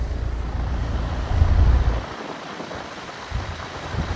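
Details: Extremely rusty 2017 5-ton Trane XR14 air conditioner, coil coating peeling off, starting up and running with a steady low rumble, even hum and fan rush and no rattles or grinding: the condenser runs normally.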